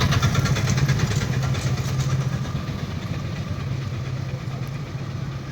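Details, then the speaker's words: Bajaj Discover 100cc single idling with a rough, rattly knock on each beat, easing slightly as it settles; crankshaft bearings worn out. Half litre Harpic mixed with 400 ml petrol poured into engine for cleaning. "Main problem क्या है बोले तो इस bike में आके bearings जाके है, crank bearing लगा।"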